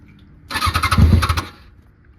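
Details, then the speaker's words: Kawasaki ZX6R with new fuel pump, cleaned air intake, new plugs, fresh gas and injector cleaner fires, revs unevenly about a second and dies, then recranks; idle screw turned fully up, starts high, cause unknown, battery possibly weak. "I got the idle up all the way just so it can grab onto something since it wants to go high anyway. Why it's going high, I don't know."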